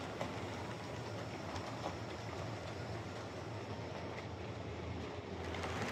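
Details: Hornby R2329M Britannia Class "Dornoch Firth" OO model loco on layout: steady high-pitched motor whine over wheel rumble and clatter; noisy motor, owner thinks it may ease with running, cause not confirmed.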